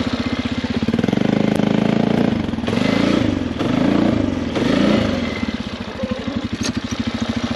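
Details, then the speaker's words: 2005 Polaris Sportsman 400 ATV at full throttle: the engine surges and breaks up, almost like bouncing off the rev limiter, and won't reach proper speed, though it picks up with gradual throttle; owner suspects the carburetor. "you hear that breaking up pretty good all right so as you can see I was going Full Throttle all the way down and so almost like it's bouncing off the rev limiter it's not going as fast as it should but if you gradually go it picks up speed"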